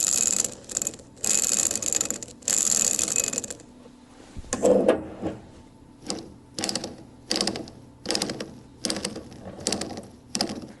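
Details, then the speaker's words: Cleaned transfer case bearings spun by hand on the shaft during an overhaul: gritty, uneven rasping bursts each spin, rough rather than smooth, indicating pitted balls and races. "Well, so we can judge the condition of the bearings, what kind of pitting there is, what condition the balls are in, and so on."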